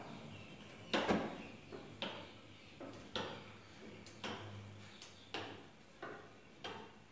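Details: Six-year-old gas stove whose burners were slow to light, tested after the burners were washed and sanded. Sharp dry ticks roughly once a second, steady and crisp, then the burner catches quickly; the igniter is sparking properly.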